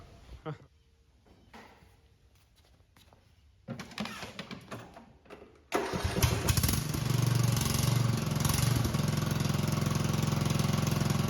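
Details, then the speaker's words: Craftsman riding mower small engine starting and running: loud, raspy, unmuffled bark from an exhaust leak. The muffler is all cracked and the only exhaust is a straight pipe down; it is to be removed and welded. "wow so if you look down there the muffler is all cracked uh one exhaust or i guess the only exhaust is just straight pipe down"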